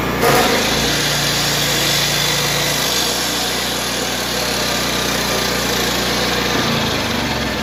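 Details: Honda EB 3500 X generator after full service, carb cleaning and valve adjustment, loaded with a cutoff saw: catches right away, steady even hum, pitch dipping slightly as load comes on; runs smoothly.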